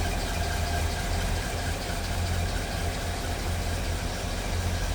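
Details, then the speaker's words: 1941 Chevrolet pickup, 235 cu in inline six with Offenhauser intake, dual carbs and what look like newer plugs and wires, heard with hood panels open: even, low, steady idle rumble, no knocks or misses, engine barely moving; normal idle. "running pretty smooth. That engine doesn't even move in there."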